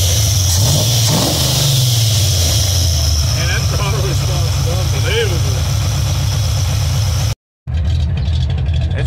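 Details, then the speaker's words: Cammed Vortec V8 OBS truck after installing and tuning new Summit Racing Max Performance carburetor (vacuum about 15): deep lopey rumble climbing and falling smoothly with throttle, no misfire or stumble, sounds like a wilder cam; normal revving. "it sounds like now that we kind of tuned on the carburetor a little bit definitely sounds like it has a bit of a more wilder cam"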